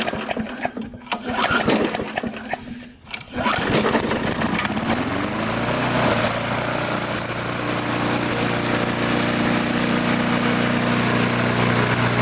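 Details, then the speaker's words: Trash-picked MTD walk-behind mower after tightening loose carburetor-to-fuel-tank screws that caused surging: fires after a couple of pulls and settles into a steady, even run with no surging or hunting; normal running. "I'll start it up you can hear it run I just tighten the carburetor up in the surging all went away so"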